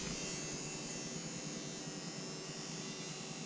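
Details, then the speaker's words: Wrecked rollover vehicle under rebuild, wiring just redone: faint steady high-pitched whine starts when a second battery is connected; electrical whine, owner suspects the alternator, not confirmed. "new issue that battery is not plugged in when I plug this one in something over here starts making a noise I think it's the alternator"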